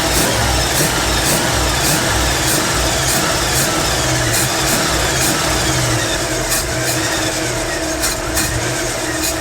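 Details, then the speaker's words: 1955 Chevrolet Nomad after fixing out-of-whack timing, fuel system and ignition faults with distributor reinstalled: even idle near 900 rpm with light regular ticking over the exhaust; runs well, idling slightly fast. "ignition had a problem but I think I got running good again now"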